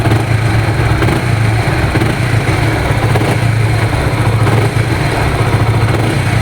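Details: Honda Supra GTR 150, 2 years of use: a steady single-cylinder putter with light throttle blips, smooth and even, with no ticking, knocking or rattles. The owner says there are no odd noises; the engine is healthy.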